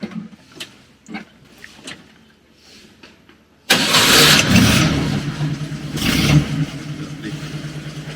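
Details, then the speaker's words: Roughly 40-year-old vintage rally vehicle started after priming with the boost pump: a few quiet clicks, then it catches at once, revs cleanly twice and settles into a steady ticking idle; healthy start, no problems. "And hear the ticking idle. No problems whatsoever."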